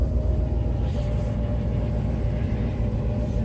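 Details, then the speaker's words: Mercedes 380SL (1984), idle after fixing a 1500 rpm high idle via the idle controller/air control valve: low, even rumble settling to about 900 rpm with no surge or hunting; normal idle. "so it's dropping it down to about 900. there's an air control valve in here in the front taking this apart so when you put that one anyway the high lidl is fixed you can hear it here"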